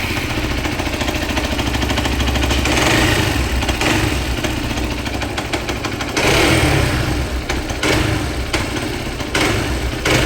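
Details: Hero XPulse 200 single-cylinder motorcycle engine, hot, at idle: a harsh, regular knock traced to balancer shaft timing misalignment; the clutch cover was opened.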